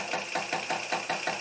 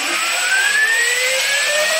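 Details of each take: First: Stepper motor on a cheap TB6600 analog driver without microstepping clacks through very rough steps about five times a second over a thin high whine; the DM556 driver was quiet. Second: Stepper motor on a DM556 driver: a smooth whine climbs steadily to a high even pitch at about 1100 rpm, holds, then falls away as it slows; clean, normal running, likely with little torque at top speed.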